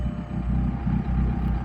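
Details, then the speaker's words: Turbocharged stick-shift car after the broken exhaust section behind the driver's seat was cut out and replaced with new pipe and clamps: even, deep idle rumble with no puffing or ticking. Exhaust now sealed, exiting at the back. "All right, so we got the exhaust all fixed up. Let's see how she sounds. Oh yeah, it's a lot better."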